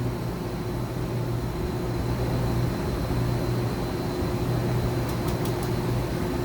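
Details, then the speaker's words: 2013 Mazak HCN 4000 Mark III Y-axis full 23-inch ball screw stroke at 25% rapids: smooth low rumble with a drone that comes and goes as the axis travels, no grinding or knocking; way covers and ball screw healthy. "nice full stroke of the ball screw, 23 inches of travel. Way covers are working good. Everything sounds good."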